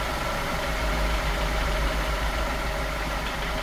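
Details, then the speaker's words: F10 BMW 550i, N63 V8, at idle after a severe oil overfill: uneven deep knock three or four times a second, strongest low in the block, unchanged by cylinder deactivation; bent rod suspected, piston hitting crank counterweight. "When you listen closely, you can hear the knock strongest near the lower part of the engine. And that usually points out to bottom end damage."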